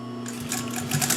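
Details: Pfaff 134 sewing machine stitching: quick, even needle clatter over steady motor hum, no knocking or binding; normal sewing.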